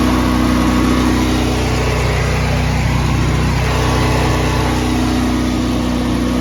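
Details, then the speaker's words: Honda EB 11000 generator on a 20 lb propane tank, starting problem traced to a flow-restricting tank connector and solved with a new hose and fitting: loud, steady drone at constant speed with an even beat, no surging or sputter; runs smoothly. "Okay. Well, there you [clears throat] have it. Propane problem solved. Uh, it starts up."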